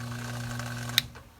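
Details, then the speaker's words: Samsung front-load washer showing ND no-drain code, new 120 V drain pump under a week old, forced on by manual switch: steady low hum with faint whine, drains fast, then click off; pump works normally. "Now, it looks to me like the pump is doing everything it should. It's draining that super fast. You can hear it."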